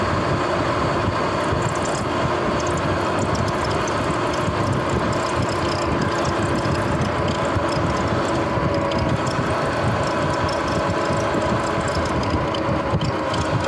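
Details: Sur-Ron X electric dirt bike, camera-recorded while riding down the road: even, gritty rumble with faint steady whir from the front wheel, louder as it rolls; owner suspects worn front wheel hub bearings, not confirmed.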